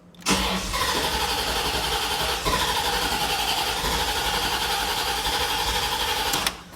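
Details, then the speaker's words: Bone-stock 1989 Corvette, 77,000 miles, on its third fuel pump in two weeks; it runs about 20 miles, then loses fuel pressure. The starter cranks steadily for about six seconds with an even churning rhythm but never fires: crank, no start. "why just why again the car won't start if you go down let's try to prime it all right well it tries but it won't feel the gas"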